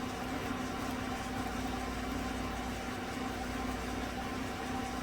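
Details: 2016 Silverado 5.3 V8 Z71, about 135,000 km, after replacing right-bank lifters for a collapsed cylinder 6 exhaust lifter: steady, smooth idle with no ticking or knocking while warming up, coolant around 52 °C.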